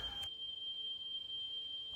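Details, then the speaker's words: Cassette recorder after its low-speed motor (3-screw mechanical centrifugal governor) was replaced with an electronic-controlled motor; a 440 Hz/3150 Hz test tape recorded on a correct-speed recorder plays a steady pure high tone without wavering or drifting, so tape speed is correct. "දැන් මේක speed එක නිවැරදි ගානට හදලා තියෙන්නේ. මේ play වෙන cassette එකේ තියෙන්නේ නිවැරදි ස්පීඩ් එකකින් වැඩ කරන රෙකෝඩර් එකකින් රෙකෝඩ් කරපු 440යි හර්ට්ස් සහ 3150යි හර්ට්ස් සිග්නල්"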